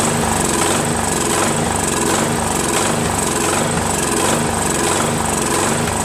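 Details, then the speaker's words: Craftsman 13.5HP mid-engine riding mower, replacement engine repower, first start after new starter and battery: loud rough uneven low thumps, surging and popping; owner suspects key sheared when banged in, timing slightly off. "oh boy oh boy oh boy has a lot of backfiring as you can hear I have a feeling that the keyway is not right because when I put that key way in right I had to basically bang it in so I think it might have sheared it a little so I think the timings off just a little bit"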